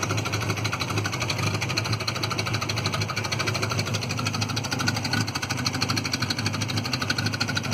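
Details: Citroen Visa 11 RE small petrol engine at idle, as bought: quick, even puffing tick about three per second over the exhaust note from an exhaust leak.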